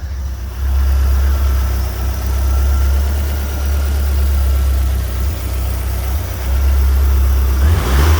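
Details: Fiat Punto GT running again after refuelling (stalled from suspected empty or bad fuel): steady deep idle with smooth even pulses and a couple of gentle blips that rise and settle cleanly; engine running healthy.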